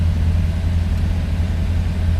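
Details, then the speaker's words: 1967 Cadillac DeVille convertible with a V8 and automatic transmission, just started. It fires right up and settles into a smooth, deep, even V8 rumble with no misses or ticks; a healthy idle. "Let's go ahead fire her up. As you see, she fires right up."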